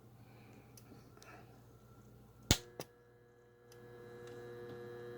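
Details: Returned vacuum pump (one side sucks, other blows) with internal fan, reported not turning: click at power-on, then steady electrical hum without spinning up, sound of a motor in a bind; seized, stalled motor.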